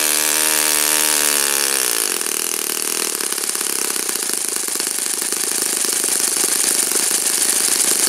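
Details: Saito FA-56 engine, first run after teardown, cleaning and bearing replacement; apparently moderate-time engine on 12x6 prop, OS F plug, 5% Omega fuel. High steady buzz climbing and settling cleanly at high revs, no misses or sputter; normal running.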